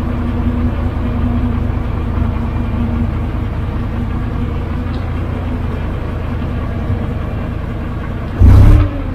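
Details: 12-ton six-wheel diesel grader after a new drive chain, repairs and hydraulic oil brought to the right level: a steady low diesel rumble with an even hum and no misses or knocks, ending in a brief loud thump. Normal smooth idle.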